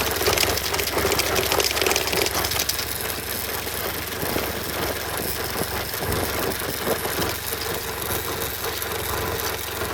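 Uneven, tinny rattling over a steady idle, loose and metallic rather than from inside the engine; a chain guard vibrating against its mounts.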